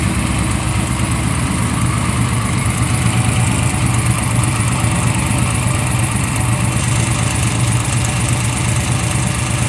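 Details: Freshly built 383 stroker for a 1995 LT1, Eagle forged crank, Holley Terminator X, brief first run on engine run stand: smooth even idle, steady low rumble, no knocks, ticks or misses; water pump leaks without gasket.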